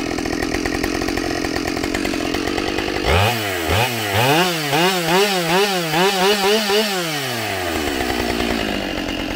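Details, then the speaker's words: Husqvarna 572XP autotune chainsaw after the autotune procedure, at full throttle in a cut: it pulls strongly, with rhythmic pitch dips under load and instant recovery. It is healthy and feels more responsive. "holy crap i i don't know the numbers but feel wise this thing just ate that cookie"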